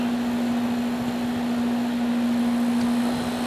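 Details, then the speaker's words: Home AC outdoor unit running on Generac standby generator power during a simulated outage: steady, even hum at constant pitch with airflow hiss, no rattles or squeals; running very well. "Oh, sounds okay to me. Yeah, it's running very well."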